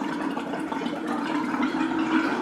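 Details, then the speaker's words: Upstairs hot-water faucet after flushing and refilling a water heater; irregular gurgling and spitting as trapped air purges ahead of the water, until a steady stream comes. "and we're back at the faucets you can hear all the air is trying to escape oh yeah i can feel it"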